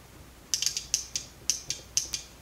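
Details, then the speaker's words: Old OEM fuel pump relay bench-tested, 12 V applied to terminals 85 and 86: sharp, crisp clicks each time power is applied and released, no buzzing or chatter; switches normally, 0.1 ohm across 30 and 87. "i'm going to energize you should hear it click when i apply the power so let's listen"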